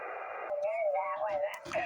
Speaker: that transmitter is spending power to produce that spurious winding tone that is not being recovered is useful modulation by the receiver